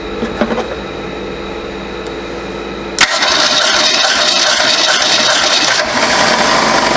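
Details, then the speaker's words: 1967 Ford Mustang coupe, sat 22–23 years, cranking during a compression test; even, steady cranking around four beats a second with no skips. Good cranking compression. "Got about look like about 160, but 180. It's past 150, so it's good. You at least need at least 100 or more to have good compression to run."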